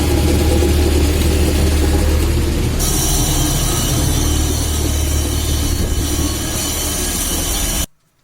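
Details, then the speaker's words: VAZ classic (2101–2107) rear axle shaft bearing heard on the running car, a steady deep hum easily mistaken for the differential, loudest from one side; bearing cage found broken, bearing needs replacing. "Такой гул вот издается, надеюсь, слышно."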